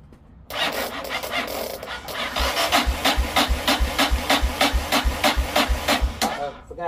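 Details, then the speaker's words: Yamaha XT 600 motorcycle wired to a 20 V DeWalt power-tool battery: starter turns the single over in steady rasping strokes, about three a second, but it never catches; battery may be too low and a wire was smoking hot. "so apparently something is not quiet enough to really make it get what it needs to do but you did hear it turning over"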